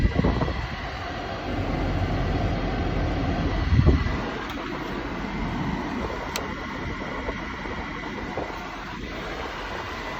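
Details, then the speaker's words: 1985 Mercedes 500 SEC climate control test: a steady cabin hum with a soft thunk and light clicks as the vent flaps move to defrost, low/high and dash vents; all flaps work as designed. "one more time we hear the valves going to defrost valves going to low high and valves going to dash vents all the vents and all the valves function as designed"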